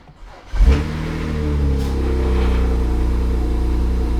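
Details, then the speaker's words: BMW 135i under restoration, jump-started on third try: quick crank, catches cleanly and settles into a smooth even rev with no knocks or misfires; normal start, sounds good. "oh hell yeah she sounds good"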